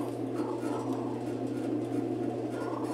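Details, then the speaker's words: Admiral heavy-duty washer, about 20–22 kg, after seal and bearing work, suspension springs not yet fitted, wash started by blowing into the pressure-switch hose: steady low motor hum and even swishing churn, no knocks or grinding; agitation normal, transmission not at fault in wash. "eso nos quita de encima que tengamos un problema con la transmisión que no esté siendo el abajo por lo menos el lavado lo está haciendo"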